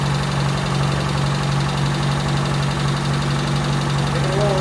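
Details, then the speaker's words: Toyota Tercel, freshly reinstalled 3A-C engine, idling cold with no coolant hooked up while ignition timing is set. Steady low hum at a fast, even cold idle, no clear knock or miss. Just cold. "That's 10. It's just cold."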